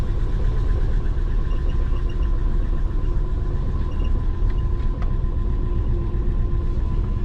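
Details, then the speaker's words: Twin-turbo Subaru Forester just reflashed after ID1300 injector fitting, first move: low, lumpy, loping idle, a bit smoky, sounding like it runs on three cylinders; misfire with plugs fouled, injector latency settings suspected, not confirmed. "bit smokey first time it's moved kind of sounds like it's running on three"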